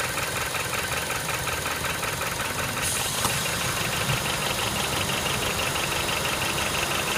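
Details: Honda Step WGN with K20A engine at idle: irregular metallic clattering rattle, about two or three knocks a second; abnormal internal engine noise, source not identified.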